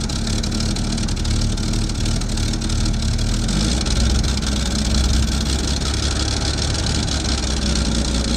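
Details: Chevy II Nova with a 250 six from a '67 and swapped-in Rochester BV1 one-barrel carburetor, exhaust unrepaired: steady, fairly even idle with deep low rumble and slight exhaust puff, no stumbling or loading up; slightly better than the old carb; normal idle.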